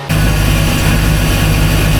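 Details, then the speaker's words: Volvo Penta 5.0GXI boat engine on muffs after fuel pump replacement, started after hard first starts: quick catch, steady even low rumble, no misses or knocks; quietest this motor has been, slight pulley chirp noted. "All right. So, we got it running. to give it a couple more cranks, probably to fill up uh the rest of the fuel system and build up pressure. This is the quietest this motor has ever been."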